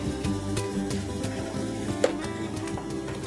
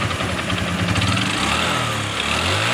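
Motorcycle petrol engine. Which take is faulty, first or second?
second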